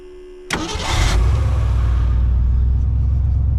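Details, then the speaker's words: 1963 Mercury Comet 260 V8 with Autolite 2100 carburetor, off the road for 25+ years; brief crank, catches at once and settles into a deep, steady, even idle with no misses or knocks; generator light goes off. "oh all the lights come on cranks right up man running like a slew look at it"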